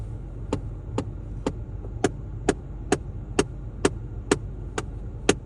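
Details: VW Golf 7 heater blower: sharp, regular knocks about twice a second over a low fan hum; noise goes away when the blower is turned down; cause not yet found.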